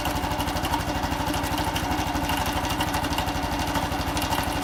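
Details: Honda Cross Cub small single at idle: steady, regular tapping riding on the exhaust beat; abnormal mechanical engine noise, source not identified.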